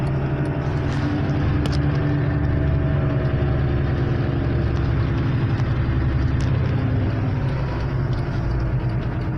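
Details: 1998 Acura Integra 5-speed manual, 335,000 miles, while driving: steady low droning hum under road noise from a worn wheel bearing at the rear; driver front bearing already replaced; car also misfires with flashing check-engine light.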